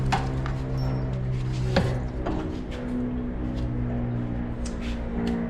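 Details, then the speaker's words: Yamaha Tenere 700 after removing the OEM chain roller that rubbed and chattered: steady low engine drone with no chain chatter; noise gone, confirming the roller as cause; normal chain drive running. "So, there you have it. That noise is gone. As I suspected it was that roller."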